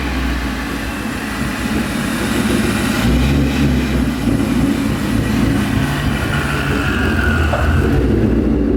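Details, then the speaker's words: 2011 Mustang GT V8 with newly installed Paxton Novi 2200 SL supercharger on a base tune, first startup: deep steady rumble rising smoothly with revs, blower whistle on top, no knocks or misfires; healthy. "that right there ladies and gentlemen is such a good sign the car sounds super healthy and you know for the bass tune it's actually doing really well"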